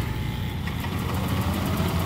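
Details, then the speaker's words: Yamaha Aerox scooter, broke down, error code 14 stored: steady low starter churning with no firing, engine turns but will not start; broken cam chain. "nah dia enggak mau nyala motornya terus seperti ini ya starter dia enggak mau nyala itu"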